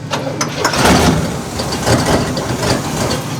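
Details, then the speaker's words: 1972 Cadillac Miller-Meteor hearse V8, first start in 29 years after sitting since 1995, no mufflers; engine catches and runs rough, surging and stumbling, ignition timing still off and being adjusted. "I have to play with the timing too of course but it's close"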